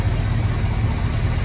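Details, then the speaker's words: Chevrolet C20 squarebody V8 idling cold after a new distributor rotor; the old rotor gave occasional small pops at idle: now a steady, even low rumble with no misses or pops, idling smoothly. "i know the rod is out of adjustment but for the choke but i'm not really too concerned about it but it seems to be idling nice and smooth it looks like it's idling smooth so"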